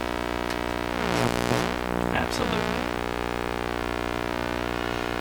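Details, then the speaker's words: National HRO tube receiver, fed a swept (wobbler) signal, audio from the radio through a sound panel: steady buzzy tone with a whistle gliding down and back up, clear and undistorted. The receiver reproduces the sweep properly. "So that's the radio. What I'm doing is I'm turning the volume up on my sound panel here. So you can hear it."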